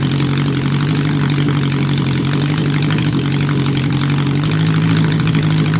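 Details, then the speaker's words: Honda CB750 four-cylinder, restored, which previously wouldn't start, running cold without exhaust or airbox, mixtures not yet set: loud steady running on all cylinders; revs hang and drop slowly, suspected vacuum leak, not confirmed. "Sounds like it's got a vacuum leak there, so it's sort of taking a long time to come down, but I'm not going to do the mixtures yet."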